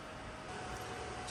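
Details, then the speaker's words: Beldray 700W socket-mounted electric fan heater in a campervan on hook-up power, just wired in and switched on: steady, even rush of air with no rattle, tick or scrape, pumping out hot air; working normally. "So let's turn it on. It's on. Pumping out hot air."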